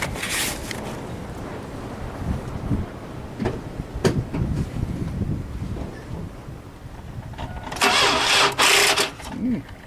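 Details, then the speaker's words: 2004 S10 trying to crank, battery reading 12.3 V, Value Craft battery of unknown age: uneven, labored churning bursts that never catch; owner suspects a worn-out battery rather than the starter, not confirmed. "Alright. So, I don't know how old this battery is. It's a value craft. Okay. So it's probably about time for a new battery."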